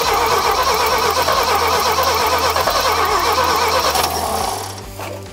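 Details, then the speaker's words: 1975 GMC Sierra Grande short-bed, 250 ci straight-six, abandoned for years, cranking after reinstalling rotor and setting firing order: six-cylinder cranks about three strokes a second with a light clicking or ticking over it, doesn't catch; tick source uncertain. "I can hear something ticking in there like something's clicking a little bit I don't know if that's good or bad"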